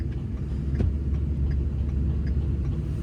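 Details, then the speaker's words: Hotshot pickup being towed off the highway after its transfer case exploded: under the towing rumble, a loose slap about three times a second from the drive shaft flailing. "You hear the drive shaft slapping around, but better to get him off this highway."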